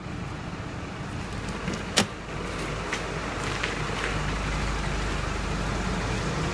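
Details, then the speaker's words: Nissan NP300 with a YD25 diesel that had been knocking, now idling after warming, though the temperature gauge has not risen yet: a steady low clatter with no stand-out knock and one brief early click; idles evenly without shaking, and the knock is gone. "А вот он уже прогрелся. Вот. Все стабильно работает. Температура еще не поднялась. Даже ни капельки. Стук прошел."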